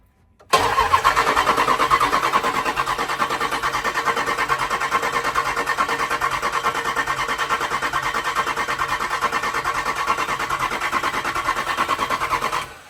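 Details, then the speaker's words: Jeep SRT8 392 Hemi cranked with injectors unplugged, no oil pressure yet built; even steady cranking rhythm about three beats a second with no knocks or clatter, healthy engine spinning over. "So everything sounded pretty good. Sounds like it's a healthy engine."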